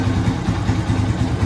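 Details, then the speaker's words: Yamaha Vixion single-cylinder after repeated valve clearance adjustment that cured a ticking noise, with the radiator fan wired to run constantly; it now idles smoothly with an even thump and no valve tick. "sampai menemukan titik di mana motor ini gampang di celah lamsamnya normal sama bunyinya nggak ada bunyi klitiknya nggak ada gitu"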